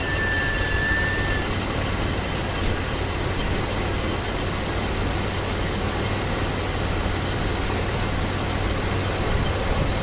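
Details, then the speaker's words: Oldsmobile Cutlass 307 V8 after compression testing and reassembly: a deep idle rumble with an uneven, shaky undertone under noisy surroundings. The engine still runs rough, and the cause is not found. "Engine's still shaking, so I don't know what it is."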